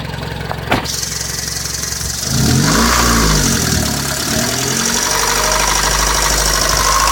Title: 1998 Civic LX 1.6L - ticking sound from engine.